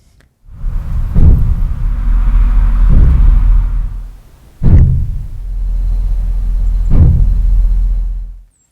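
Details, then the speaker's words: 1997–2000 GM GMT400 OBS truck, GoPro in the bed while driving: four dull, deep thumps a couple of seconds apart over road rumble, the fuel tank metal expanding and contracting; repaired by replacing the EVAP canister. "So, now that you've heard the sound, what that is is the sound of the gas tank expanding and contracting or contracting and expanding, right? Either war, it's going to make like a a sound as the metal moves."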